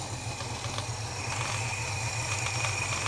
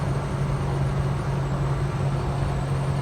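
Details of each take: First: Holden HK V8 cold start after adjusting spark plug gaps, coil buzzing: uneven loping idle of about four pulses a second with some rattle; owner suspects the carburetor mixture screws are too far out with worn O-rings or leather washers. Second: Holden HK at 60–65 mph, owner having re-adjusted ignition timing and running warm (idle up at 1000 rpm): steady even low engine drone over road noise, no metallic ping; no detonation under load, though pickup is weak.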